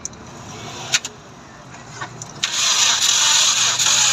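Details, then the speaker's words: 16-valve engine cranking with a few short bursts, then an even beat that never catches; the valves are bent, so no start. Misfire if it runs. "ये देखें, बस ये वाल्व इसका चेंज हो गया है। तो दोनों स्टॉक आपस में मिल गए हैं, तो वो गाड़ी स्टार्टिंग नहीं दे रही।"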